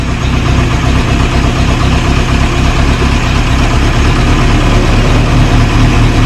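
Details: 1937 Morris 8, 918cc pre-war engine, just started on choke during recommissioning: strong, steady low idle, no knocks or misses; oil pressure about 60-75 psi, slight smoke from a little oil getting around the valves.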